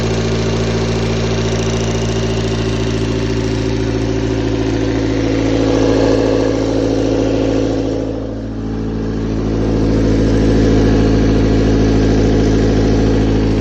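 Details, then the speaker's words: A4-FE engine at steady idle: even knocking about three or four beats a second over the engine hum; owner suspects camshaft or valves, source unconfirmed. "Такое чувство, что распредвал или клапана."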